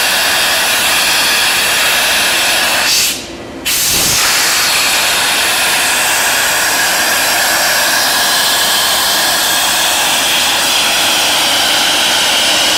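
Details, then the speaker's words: Ingersoll Rand SSR 40 hp rotary screw air compressor, 30,824 hours, on 460 V three-phase power: steady even rush of air with constant hum, no knocks or rattles; running normally. "Here we have an Ingersoll Rand 40 horsepower rotary screw air compressor. We got it hooked up to 460 volt, 3-phase power. We're going to run it and show you that it works."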